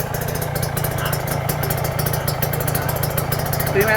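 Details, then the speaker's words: Rebuilt Kawasaki Ninja 150 two-stroke with ported block; oil shows no water contamination, coolant filled: crisp, quick steady idle, no whine, no ticking; engine runs smoothly, normal idle. "normal ya gak ada ngung ya sip enggak ada kemeletek sedikit pun ya halus ya"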